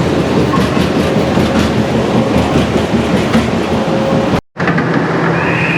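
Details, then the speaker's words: Powerscreen PT330 jaw crusher after toggle plate replacement: heavy rough churning with irregular knocks and bangs while the jaw runs, where it should be near silent; still not right, owner suspects a ram surge problem. "So we'll fire the jaw, and when the jaw is moving, it should be pretty much silence. You shouldn't be able to hear any banging. So I'll go and start the jaw. Yeah, that's still not right, that."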